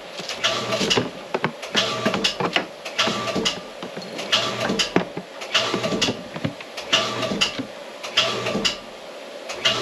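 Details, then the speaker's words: Well pump rapidly kicking on and off in short bursts, short cycling from a waterlogged pressure tank; fixed by stabilizing and re-pressurizing the tank. "first thing you hear that how that pump is kicking on and off so we're going to fix that today on Gillum Farm"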